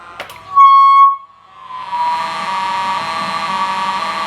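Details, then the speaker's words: Lightning-damaged NuTone IMA3303 intercom, holding inside patio talk on the master station: sharp steady beep, then eerie warbling tonal hiss in the remote speakers; no intercom functions from remote stations, faulty intercom circuit. "i hold the inside patio talk down button on the master station oh it's reverberating okay when you hold it down you can hear it alien sounds in the remote speakers now they're taking over the house"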